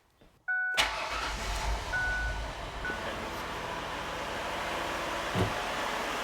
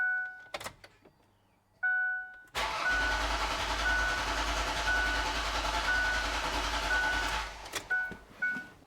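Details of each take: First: 2007 Ford Freestar after lower intake manifold gasket replacement: short chime, engine cranks, catches quickly and settles into a steady, even idle. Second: 2007 Ford Freestar after lower intake manifold gasket replacement: dash chimes then about five seconds of steady cranking that never catches, no start because the ignition coil was left unplugged.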